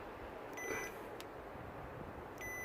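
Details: Audi A5 TFSI 8T with MMI falsely requesting 1 litre of oil, oil level switch found stuck in one position, after freeing it: two short clear high beeps over quiet background; switch responding again.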